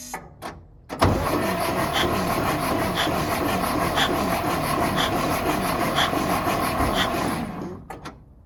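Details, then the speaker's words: Antique International winch truck that sat for a long time in the woods, fresh battery: starter spins the engine at a steady, even cranking rhythm without binding; engine turns over freely, not seized, and builds air pressure. "All right guys, so it's not frozen up as you saw there, which is awesome because I was kind of worried about that at first."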